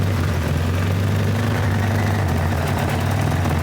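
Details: 1975 Toyota Corolla KE35 idling, heard beneath the car: loud, steady low rumbling roar with a hissy blow, loudest midway along the exhaust; cracked exhaust pipe found leaking.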